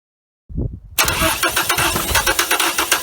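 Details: 1980 Dodge Colt Challenger, carbureted, sat 15–20 years, mechanical fuel pump on a gas can not filling the float bowl: catches after brief crank, runs rough and lumpy at about four pulses a second, sounding starved, then stalls; cause unconfirmed.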